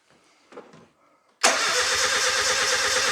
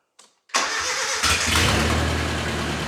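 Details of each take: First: Nissan 910 Bluebird wagon, engine first start attempt with 10 litres of fuel; steady starter churning about two and a half seconds, no catch or firing; fuel confirmed, no spark found; crank no start. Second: Nissan 910 Bluebird wagon, radiator filled with plain water to test it: engine catches after a short crank into a steady, even, throaty idle with the fan working; normal start and idle.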